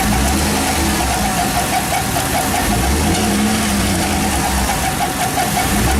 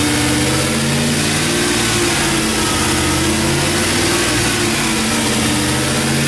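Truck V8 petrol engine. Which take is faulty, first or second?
first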